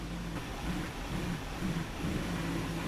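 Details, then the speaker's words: 2007 Supercharged Range Rover L322: returning to idle off the throttle, engine wavers and surges briefly before settling; idle surge attributed to a dirty throttle body, before cleaning. "right now when I come off the throttle and go back to idle, it kind of surges for a little bit before settling down."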